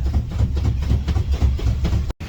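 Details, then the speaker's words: 1979 Ford Marque RV motorhome, driven after sitting 20 years on dry-rotted tires: heavy low thumping several times a second under road rumble as a rear tire's tread lets loose. Tire tread separation. "well y'all may not be able to feel it but I'm sure you can hear it back there yeah Tire let loose I've got one tire that's gone bad"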